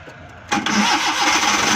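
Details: Suzuki Ravi (Bolan) on petrol/CNG kit, morning starting problem, after replacing the faulty kit relay: short crank catches straight away into an even running note, no stumbling or misfire; normal clean start.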